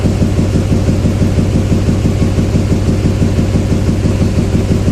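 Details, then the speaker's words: 2007 Chevy Silverado 2500HD 6.6 Duramax LMM diesel at idle during injector kill test: steady lumpy beat about twice a second, rough uneven running; cylinder 7 changes least when killed, pointing to a dead cylinder, valve train problem suspected. "You can hear it running poorly. Let's see if we can kill injectors one at a time."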